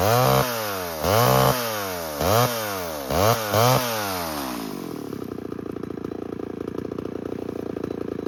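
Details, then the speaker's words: 1978 Homelite XL12 chainsaw, run after years of sitting, out at the firewood: snaps up to full revs in short bursts about once a second, then drops back to a steady idle; running healthy. "So, we're going to fire up the saw here and we're going to make it cut. See how it does."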